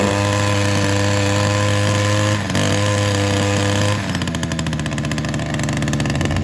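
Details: Ryobi SS30 multi tool two-stroke that wouldn't start, after a complete carb tune: high, steady buzz, then settling into a rougher, slower beat; runs and holds speed, sounding a little better now.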